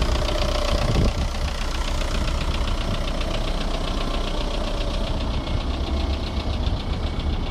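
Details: VW 1.9 TDI (ASV, 110 hp) diesel at steady idle: a dull repetitive knock under the usual clatter, traced to the bottom end. An engine knock with no definite cause or fix found.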